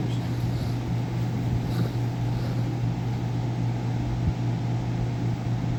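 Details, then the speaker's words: Idylis portable air conditioner/heater that had been shuddering, tripping the breaker and shutting off within a minute or two; after cleaning and reassembly, runs 10 minutes with steady compressor hum and even fan rush, no shudder or cut-out; normal running. "all right so I've been sitting here let it run for like good 10 minutes and we couldn't even get like a minute or two out of before"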